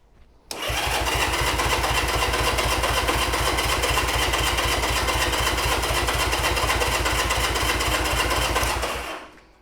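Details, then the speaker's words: 1975 Honda CB200T, first start attempt after reassembly and new fuel filters, on choke: even starter cranking about four strokes a second for nine seconds, never firing; spark checked and plenty, so it is not getting fuel. "Oh yeah, we got plenty of spark there. Plenty of spark. >> What I think we're just not getting is fuel."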